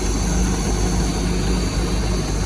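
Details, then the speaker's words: 1979 Bayliner vintage boat engine running after revival: steady, even low idle rumble with no knocks or misses and very little blow-by; engine healthy and runs good. "Same thing there. Very little blow by. Okay. This is great. This engine runs good."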